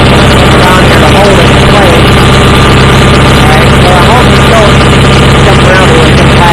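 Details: Approx. 1976 Sears GT18 tractor (a commenter says 1978–79), Onan 18 HP twin, at 54°F with choke off, after carburetor cleaning and fuel pump rebuild. It previously ran rough; now a steady, even beat at constant speed with no misses, normal running.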